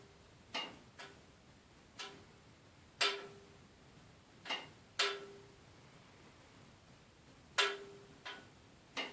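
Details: Termatech TT20 RS wood stove making sharp, irregular metallic ticks, some with a brief ringing tone, plus two short crackling bursts.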